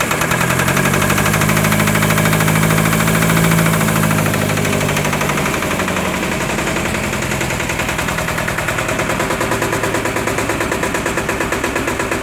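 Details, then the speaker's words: Onan 30kW generator with 4-cylinder Ford diesel, first start after bleeding air at the injector pump: heavy uneven chugging about three pulses a second that stumbles, sounding lugged; owner not sure it is lugging. "oops hiccuped a little bit see sounds like it's lugging but i'm not 100 sure it is"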